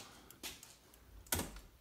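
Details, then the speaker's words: Older car converted to LED lights, with an old 2-wire flasher replaced by a 3-wire electronic flasher whose third prong is grounded: crisp ticks about 0.9 s apart. The flasher is cycling normally. "already hit the switch and you can hear them ticking so you just have to ground it that way suddenly we got flashing lights and everything looks like it's working"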